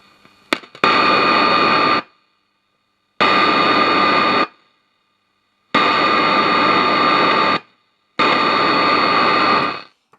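Loud, steady static with a clear tone comes in bursts of one to two seconds and cuts out cleanly, at full normal volume.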